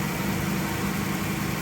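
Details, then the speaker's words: 2013 Dodge Caravan with hard-start problem, fuel pump relay (integrated in TPMS module) jumped with wire: quick catch into smooth, even idle, no stumble or misfire; normal start, confirming relay fault, not fuel pump or pressure regulator. "every time we've done this about 10 times now so this is confirming that the relay is the problem with the fuel pump not the fuel pump not the fuel pressure regulator"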